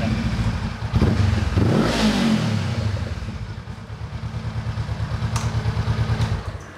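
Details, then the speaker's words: Honda CB500X after engine setting work, previously with exhaust popping at hard throttle: the engine picks up cleanly on the blip, revs rise and fall evenly, then settle to a steady beat. Smoother, crisp throttle response. "Coba gas. Lebih halus. Spontan ya gas ya."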